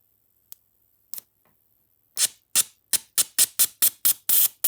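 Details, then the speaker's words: Mitsubishi Evo (Tommi Mäkinen) with hard starting and rough idle: stuck injector bench-pulsed from a new battery with injector cleaner fed in; faint ticks, then crisp clicks about four per second as the injector frees and snaps fully open. "After making contact a few times, the injector cleaner fluid unsticks the injector and it fully opens."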